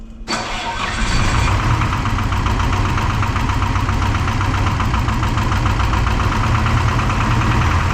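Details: Detroit 4-53T diesel with 9G90 injectors, run from a 5-gallon tank with the solenoid and tank bypassed: after firing up, lumpy uneven idle with a knocky edge. Fuel starvation (filter half full, later traced to a loose suction hose clamp); number two injector not delivering, dead cylinder.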